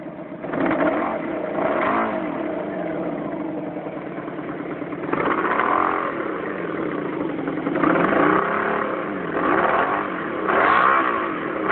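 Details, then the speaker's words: Honda Magna motorcycle idling and blipped, slowly losing rpm until it dies, with a stumbling missing beat on cylinder 2, whose plug was fouled black; whitish-blue smoke from left side despite cleaned carbs, new plugs, oil, fresh gas. "maybe the sound of it you can hear it missing on that number two cylinder"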